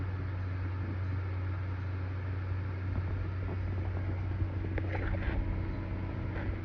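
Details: Computer making a low steady hum with a slow throbbing pulse and faint higher whine from inside the case while making music videos; owner wonders if heat inside is the cause, source unclear.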